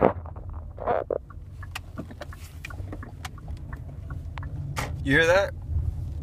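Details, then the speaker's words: 2015 Kia Optima Hybrid, almost 20k miles, brakes already replaced once at about 5k miles, noise has returned: quiet rolling, then a brief wavering high squeal as the brakes are applied. Recurring brake squeak, dealer could not duplicate it. "All right, let's see if we can get this thing to squeak, since no one believes me."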